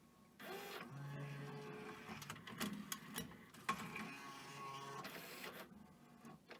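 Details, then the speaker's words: Pioneer DVL-K88 laserdisc player bought as junk from Japan, first DVD test using the DVD laser: soft whirr and clicks as tray loads and disc spins up, settling to an even hum while loading the menu; normal DVD loading and spin-up. "Okay, it seems to be playing DVD as well. It's going to stop."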